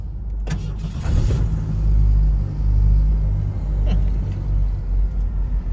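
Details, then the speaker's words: 1991 Fox Body Mustang from a salvage auction, start after refuelling with three gallons: deep steady exhaust rumble, one brief rev rise then even settle, idles cleanly with no misses or knocks; runs pretty good, normal running. "little joke actually runs pretty good."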